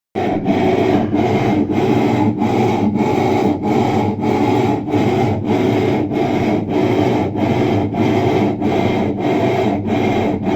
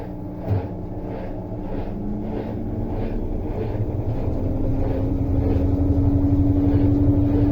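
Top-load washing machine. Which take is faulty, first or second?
first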